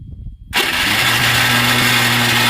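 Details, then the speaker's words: Starter motor on a JCB, just after self-starter (self) work, fails to crank properly: a steady high whir with no compression chug, and the engine never fires. Flywheel ring-gear teeth shown, suspected cause unconfirmed. "যেন সেলফ যেন ঠিকঠাক টানছে না, এমন সিমটম নিচ্ছে।"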